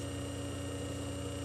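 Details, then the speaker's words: Century 1/4 hp 110 V induction motor with sleeve bearings and an internal centrifugal fan, running unloaded: a constant quiet hum with no rubbing, rattle or bearing noise; a smooth, healthy motor. "you can see she's a very smooth Runner very [Music] quiet close"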